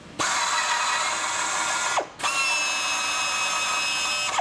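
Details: FlexArm tapping arm with lubricant spritzed on tap, built-in clutch set for mild steel; two clean cycles, even whirring run about two seconds, short pitch drop at reversal, no binding or clatter; normal tapping operation.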